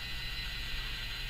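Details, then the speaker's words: Yaesu FT-767GX HF transceiver under repair, antenna tuner on and start pressed: tuning capacitors drive round with soft steady whirring and light gear chatter; now moving properly, much quieter than originally. "And then you press the start, according to the manual. You press the start. And you'll notice that these capacitors start to move."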